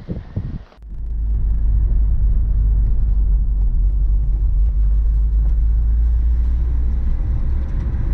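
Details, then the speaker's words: Modified Subaru WRX, fully built engine, over 200 kW, upgraded intercooler, dump valve, Prodrive piping and oil cooler: deep uneven burbling at steady idle; normal boxer lope attributed to unequal exhaust port lengths, like an old Beetle. "they say it's actually because the the exhaust length because two of the ports are closer than the other two that's how they make that sound yeah that's also why beetle also used to make that noise"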